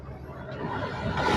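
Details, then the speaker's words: Maruti Suzuki Alto 800 AC blower after fitting a new genuine AC filter and cover, recorded near the blower: a soft airy rush swelling smoothly through each fan speed with no rattle. "നല്ല working നല്ല sound correct നല്ല proper ആയിട്ടുള്ള sound ആണ് വരുന്നത് കണ്ടോ"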